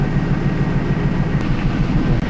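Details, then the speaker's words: 2000 Pontiac Trans Am under P0171 lean-code diagnosis, idling with a misfire deliberately induced on bank one by bypassing a fuel injector: deep, lumpy, uneven rumble as one cylinder drops out. "um so what I want to do is go ahead and induce that misfire on bank one real quick okay so we've induced misfire"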